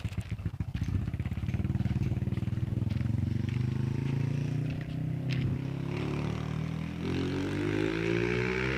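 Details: Honda Wave 125i whose fuel pump did not tick and which would not start, running after the pump motor was replaced: it revs up cleanly and settles into a steady, even beat with no misfire. Normal running.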